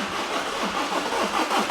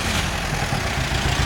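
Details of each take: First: VW Caddy diesel, 490,000 miles, unused for months, glow plug and DPF lights on: steady cranking about five beats a second without catching, only occasional coughs showing fuel pressure. Crank no start, later traced to a blocked diesel particulate filter. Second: Half-million-mile (490,000 mi) VW Caddy diesel idling with deep clatter and a slightly lumpy, uneven beat after teardown to get it started; running rough and not perfect, but far better than before.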